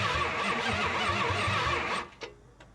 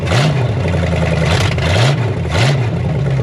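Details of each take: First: 1972 Chrysler Newport with swapped 440 big-block V8, sat since 2003, cranked with spark tester connected: even cranking about three beats a second for two seconds, never fires; no spark, owner suspects the high-performance coil on the stock ignition. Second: 1972 Chrysler Newport, swapped 440 big-block V8, after adding ignition advance and filling fuel bowls: deep rumble with quick throttle blips, picks up cleanly and settles without stumbling. Normal running; sounds better.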